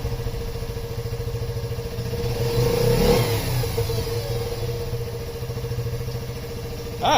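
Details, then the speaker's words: Yamaha Raptor 50 quad after head removal and cleaning, following low compression of about 90: small single idles with an even putter, revs up smoothly and drops straight back to steady idle instead of hanging; healthy revving. "that's better ah it's much better now she's not just continuing to go up"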